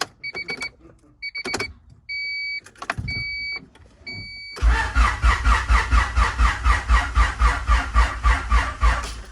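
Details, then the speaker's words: Honda CB7 fresh H22 engine build, injectors and distributor disconnected, cranking for oil pressure: chimes then slow laboured cranking about four compression pulses a second; battery lacking charge, jumpers then used. "Sounds healthy. Sounds like it's about to not have enough juice."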